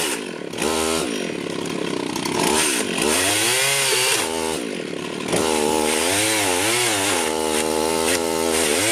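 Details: Rebuilt Husqvarna 51 chainsaw cutting a tree: high buzz rises and dips as it bites into wood and clears, revving cleanly each time; running well, owner unsure the bar gets enough oil.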